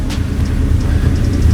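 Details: 3.4L-swapped Toyota truck after replacing cheap aftermarket ignition coils with OEM ones, plugs and wires also swapped: deep steady rumble revving without stumbles or misses, slightly raspy from a large exhaust leak; misfire appears fixed, runs smooth.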